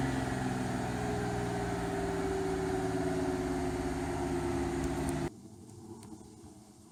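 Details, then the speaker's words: GMC New Look diesel bus, first start after sitting a year, pumping air to release brakes: deep steady rumble holding under a light rev, then cut off; normal running. "but nevertheless it was nice to hear the old girl roaring away certainly brings back memories here"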